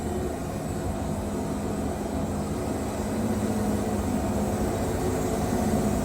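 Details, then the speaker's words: Wood-Mizer Super 70 sawmill with a new drive belt run about 4-5 hours and a resharpened 747 turbo band; belt tensioned so the engine bogs before the belt slips. Engine drone sags and labours as the blade loads up, with no belt squeal. "So you always want to, if you're bogging your motor, you get proper tension across through there. You don't want your belt to slip before your motor bogs."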